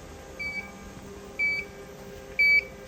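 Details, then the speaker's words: Mimaki JFX200ex flatbed printer sounds short high beeps about once a second over quiet room hum, an ink air pressure out-of-range warning. It occurs while the negative air pressure (about -2.44 to -2.6) is being adjusted, and beeping stops once it is within tolerance. "back up again. You can hear it's now beeping again. So, just a slight adjustment down."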